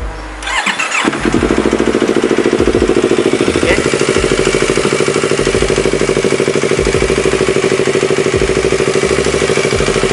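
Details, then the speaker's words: Yamaha R25 twin with damaged piston, cylinder and bearings, before 280cc bore-up rebuild: starts and idles with a sharp metallic tek-tek knock about three a second; loose connecting rod striking at the crank. "suara metal itu dia itu dari awal itu sudah ada suaranya jadi ada sudah suara tek tek tek tek tek tek tek tek tek tek Itu karena si Setang Setang piston itu dah kocak ya naik turun kayak gini"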